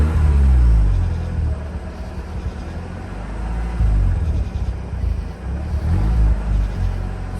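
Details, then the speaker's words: 2004 Mazda RX8 rotary just restarted after sitting two years, alternator belt off: deep uneven idle that sags and hunts to under half each time the throttle is released, threatening to stall. Won't hold idle, cause unknown; owner wonders if something is disconnected. "as i start letting it go it goes to less than half it wants to shut down on me i don't know why it does not want idle"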